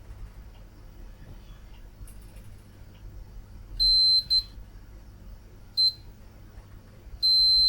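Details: IBM NetVista Pentium 4 motherboard: quiet room, then short steady high continuity-meter beeps as probes touch traces after digging into the solder resist. Every trace checked shows good continuity.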